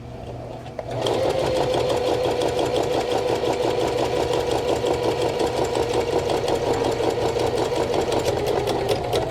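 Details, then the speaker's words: A sewing machine, taken apart three times for repair and now sewing a belt sleeve, whirs at roughly three stitches a second with a rough, uneven clatter and a high ringing tone. This is an abnormal running noise, cause unknown. "Oh, that doesn't sound good."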